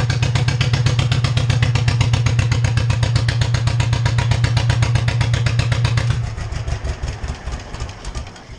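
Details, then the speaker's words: John Deere 430 garden tractor first general service, running with new spark plug wires: loud but even, fast-pulsing beat holding steady without stumbling, then winding down at shutoff; a little loud but running flawlessly. "as you guys can see she's a little on the loud side but runs flawlessly"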